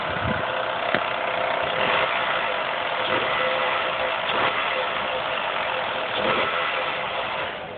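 A petrol engine idles under a busy, fast metallic rattle with a few louder clacks scattered through. Cause suspected, not confirmed.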